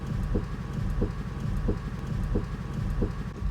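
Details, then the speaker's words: New Tesla Model 3 creeping over uneven parking-lot ground, microphone at open window: even front-end clicks about every two-thirds of a second; owner suspects the plate over the battery or the shocks, unconfirmed. "there it is again it is that we went to that thing click click click"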